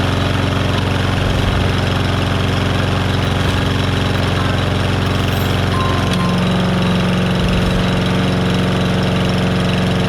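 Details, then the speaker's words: Lawnmower engine test run after replacing a bent crankshaft; steady, even putter with a slight step up in speed partway, no knocking or rattle; blade still slightly unbalanced with a little shake, far less than before; running healthy. "so there's no knocking noise nothing doing anything it shouldn't do"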